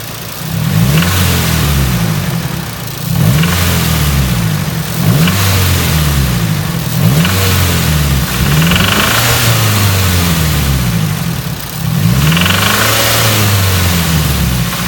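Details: Nissan 240SX race car, petrol engine revved repeatedly after overheating and a blown head gasket was replaced: deep knock under the rising and falling note, suspected rod knock, not confirmed.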